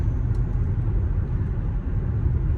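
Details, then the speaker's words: After replacing roaring Cooper Endurance Plus tires with four used Michelin Premier tires, highway speed: low even road rumble with light wind, no roar or droning; big improvement, tires quiet. "$148 later, got 4 used tires put on, and I think we got a big improvement so far. I think we got a big improvement."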